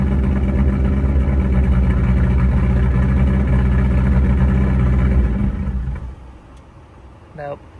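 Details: VW Mk1 Rabbit rebuilt engine, first start after re-torquing bearing caps with the oil pan off (cheap torque wrench blamed): strong, even low rumble running steadily about five seconds then shut off; normal running.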